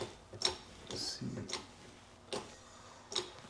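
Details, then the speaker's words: Mercedes 280 SE that wouldn't start, injector on a tester: five sharp hissing pops at uneven gaps over four seconds, some short, some drawn out; injector spraying erratically. "See how this one's spraying erratically?"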